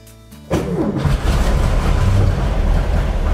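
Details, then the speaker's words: 1955 Porsche 356 Pre-A Speedster after rebuilding spark plug wires following a lost cylinder: short crank, catches at once and settles into a steady, even low rumble; starts and runs properly, carburetor tuning and balancing still to do. "I think the engines running pretty well at this point we still need to get to the carburetor so I want to do a final tune and then balance them"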